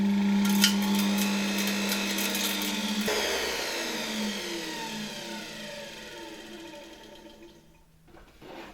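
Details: Probably early-1960s Czechoslovak Tiger 808 vacuum cleaner (type V 401, Elektro Praga Hlinsko/ETA) run at reduced voltage: smooth, even motor whine that cuts off and winds down cleanly with no rattles or scraping; motor healthy.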